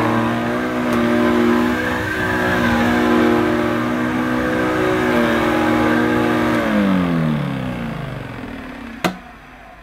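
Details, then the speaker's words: Electrolux 502 Super vacuum running after cleaning up, compared with a damaged Electrolux 502: clean, steady motor hum at even pitch, winding down smoothly when switched off; it sounds a lot better. "this one sounds a lot better"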